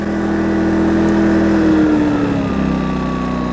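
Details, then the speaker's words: Yamaha EF2200iS inverter generator, recoil-started: hum drops smoothly in pitch and gets quieter as economy mode is switched on and the engine throttles down to use less fuel; runs even and healthy. "And when you turn on the economy mode, you can hear that the engine throttles down, it gets quieter, uses less fuel."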